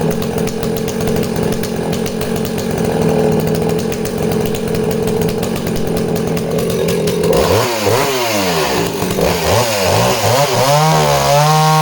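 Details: Danarm 36 "hot rod" chainsaw with stainless steel exhaust, cutting wood: high steady scream bogs slightly and recovers smoothly without stumbling; intermittent off-load misfire vanishes under load, pulls strongly.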